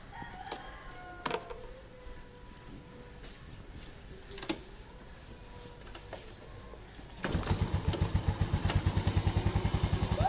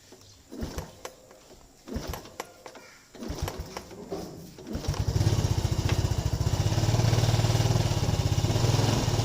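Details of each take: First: Yamaha Lagenda 115 Fi with a history of hard starting and stalling at idle, started cold after adjustments: fires and settles straight into an even, steady thump with no stumbling or dying, roosters audible. Normal cold start. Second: Yamaha Lagenda 115 FI that is hard to start and keeps stalling: sputtering failed start attempts, then an uneven, hunting idle that struggles to hold; unstable idle.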